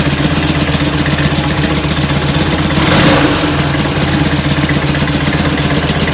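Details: Rebuilt performance VW air-cooled flat-four: steady, slightly lumpy idle with a throttle blip, a touch rich on the idle jet, blamed for black smoke puffing; plugs fouled, smaller idle jets and new plugs planned; 50 psi oil pressure.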